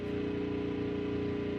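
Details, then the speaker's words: 6500 W gas generator (8000 W starting) charging a Tesla at 247 V, load raised to 27–28 A (about 7000 W); heavy steady drone with strong low hum, working near maximum load. "28 oh oh it sounds like it's struggling it's dropping yep yep it's down"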